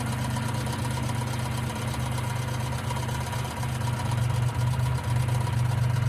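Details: 1995 Geo Metro at idle: a light, fast ticking at roughly four per second rides over a steady small-engine idle, suspected lifter tick from the valvetrain; B-12 fuel injection cleaner added to the engine oil before changing it.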